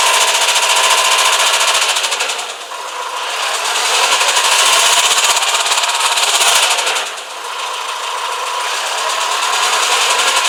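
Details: 2007 Renault Espace IV 2.0 dCi M9R, 150,000 km: harsh rapid metallic knocking, about four a second, loud under throttle, from the timing-chain area on the head's left side, quieter when cold; injectors checked OK, cause unknown.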